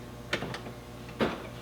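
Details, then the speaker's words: 1JZ-GTE swapped MkIII Supra power door locks with key in the ignition, on, doors closed: two sharp actuator clunks under a second apart as the locks fire then immediately unlock from the key-in-ignition logic, so the power locks are useless. "It's triggering, but it's automatically unlocking because the key is in the ignition."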